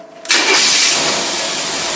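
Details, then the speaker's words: Engine running a Holley teapot carburetor, fuel turned on: brief quiet, then it fires instantly with no long cranking or priming and holds a strong steady idle; carburetor feeding properly. "And as you can see, the thing started right up. We didn't have to prime it, push it, do nothing."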